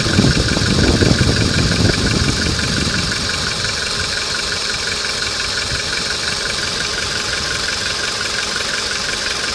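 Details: Hot VW Polo engine at idle with a rapid, fairly regular tapping knock around three beats a second riding over the engine; cause unclear.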